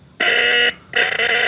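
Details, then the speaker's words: Original horn from an old Yamaha RX King, bench-tested on a battery: two short buzzy blasts, the second fluttering and dipping midway; weak because the battery is low, and only one side works. "nah bunyinya seperti itu karena akinya udah tekor"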